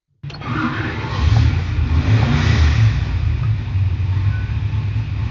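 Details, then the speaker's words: 408ci Cleveland V8 on the dyno: 11:1 compression on pump gas, hydraulic roller cam, 2-inch carb spacer, mechanical fuel pump, rated 634 hp and 572 ft-lb. It catches at once and settles into a deep, even rumble with no knocks or misses. "So we'll start it up now and we'll give it a run."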